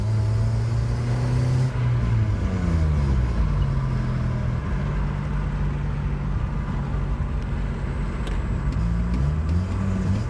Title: '03 Sentra Se-R exhaust leak